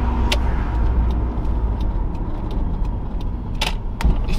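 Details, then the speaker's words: 1990s Toyota MR2 T-top on test drive after extensive service: light, evenly spaced turn-signal relay clicks over steady road and engine rumble; normal old-style audible indicator relay working as it should. "finde dieses Geräusch einfach gut. Es ist so, wenn du so einen modernen Blinker, der macht nur so gar kein Geräusch beim Anfassen und dann hört man ja kein Relais und so und hier so richtig so."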